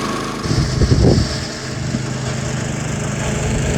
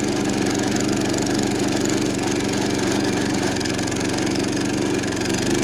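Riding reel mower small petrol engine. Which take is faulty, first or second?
second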